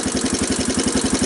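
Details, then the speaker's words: 1985 Honda TRX250 ATV, first cold start after purchase with choke on, in neutral: fast evenly spaced putting at idle with harsh mechanical clatter over it; noisier than expected, cause unclear, owner thinks it burns oil. "so that's what the engine sounds like"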